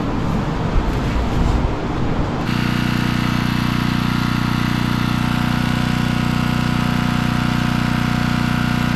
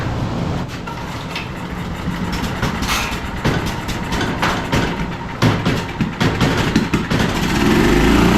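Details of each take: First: Generator, previously non-running after sitting in snow, started up while an outlet is checked with a multimeter; it catches and settles into a steady, even drone with no misses or hunting, running normally, with the outlet fault being a bad receptacle. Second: Generator picked up non-running after sitting outside in snow, fitted with a replacement carburetor; on choke, stubborn recoil pulls give uneven chugs, then it catches and runs rough before stalling as the low-oil indicator flashes, so the low-oil shutdown is probably killing it.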